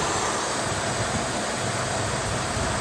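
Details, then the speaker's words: 2016 Ford F-150 idling, no vacuum pump, brake light on, code P050F: steady airy hiss over low idle rumble from vacuum leak at brake booster vacuum switch; fix is replacing switch and grommet, clearing codes. "the problem is that switch you can hear the hissing so the first step is replacing the replacing the switch The Grommet"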